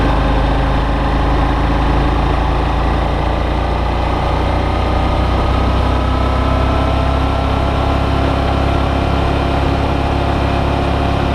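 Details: Brand-new Suzuki V-Strom DL650, comparison test ride against owner's white bike suspected of engine knock, camera on bike: steady even engine hum at cruising speed with wind rush, no knock or tap; normal running engine.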